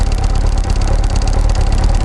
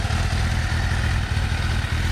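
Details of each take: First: Kawasaki ZX6R Ninja at idle before replacing coil packs and HT leads: fast, light, annoying clicking/ticking over the engine note; owner says the coil packs were going bad and clicking loudly. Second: Kawasaki ZX6R Ninja inline-four after replacing coil packs and HT leads to cure a clicking sound: steady, even rumble with no misfire stumbles or popping; ignition sounds healthy, normal running.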